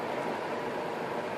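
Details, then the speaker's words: Delonghi Penguino portable air conditioner after cleaning; before this it would not blow at all: a smooth, even rush of cool air with no rattles, scraping or wobble. The fan is running normally after the fix. "Okay, in case you can't hear the fan going, you can see it's blowing."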